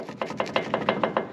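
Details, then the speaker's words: 2012 Ram 2500, passenger front wheel bearing and axle shaft removed: about eight dull knocks, roughly five a second, as the wheel is rocked; worn upper ball joint, driver side the same, non-greasable joints, likely factory. "well got the passenger side wheel bearing out and axle shaft out and while i'm saying these ball joints are bad"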